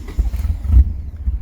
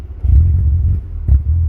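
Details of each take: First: DSM after a new timing belt: lumpy, surging, uneven idle because the shared ground for the coolant, MAP, baro and intake air temp sensors is bad, so those sensors are not working; rough running from the faulty sensor ground. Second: DSM engine after new timing belt, starting after a bad intake air temp sensor ground is bridged with a clip: two clean throttle blips, deep even rumble, no smoke, no shaking, revs normally.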